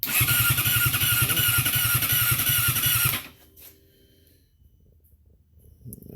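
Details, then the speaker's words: 2012 Yamaha R6, wrecked and being rebuilt, cranks steadily about three seconds without firing; fuel pump heard priming, tip sensor replaced with same result, cause unknown; crank no start. "But she crank, but she ain't firing up."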